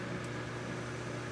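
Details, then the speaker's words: U2000 25-inch arcade monitor chassis on a test rig, B+ removed from flyback circuit, before load applied: steady buzzing whine at constant pitch over low hum from the switch-mode power supply running unloaded, which is normal. "Yep, I can hear it running."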